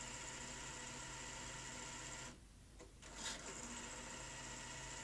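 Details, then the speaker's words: Sony Betamax SL-T30ME multistandard front-loading VCR: tape goes in but lace-up stalls intermittently with a steady whirring mechanical grind, brief dip and click; lack of torque in the clutch mechanism, tape still ejects. "so on that occasion it did let's try it again oh listen to that noise making some strange noises"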